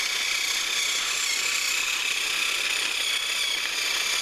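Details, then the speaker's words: HiT Toys TrackMaster Percy toy locomotive after motor repair, cleaning and regreasing, pulling two freight cars: thin, even high-pitched whir with soft steady gear ticking, no catching or stalling; runs cleanly. "And he is working, seems to be doing pretty good, but we'll give him a couple laps."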